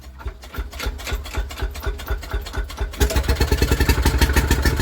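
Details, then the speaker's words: Villiers WX11 engine, first start after carburettor work, set for cold start, points cover off: small single chuffs at a steady, slightly uneven beat, firing firmly after the first seconds; starts and runs properly. "There we go. There you go. Simon."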